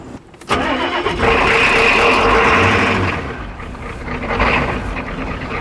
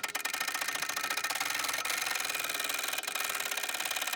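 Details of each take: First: Turbo Ford 6.9 IDI diesel, freed from seizure. After power was jumped to the fuel solenoid, fuel reached every cylinder and the injectors were tightened, it cranks with starting fluid, catches sharply and settles to a rough but steady run, briefly on its own fuel. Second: Long-dormant, seized turbo Ford 6.9 IDI diesel soaked with penetrating oil and turned on the starter. Rapid, even ticking as the engine turns over with no binding or stalls; it is freeing up.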